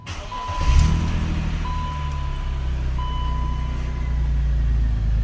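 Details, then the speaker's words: BMW E39 528i M52TU/M54, first start just after replacing dual VANOS seals and anti-rattle kit: engine catches and holds a steady idle without dropping, faint chime in background; sounds healthy. "No dropping idle at the moment. So I'm gonna let the vehicle warm up and sit."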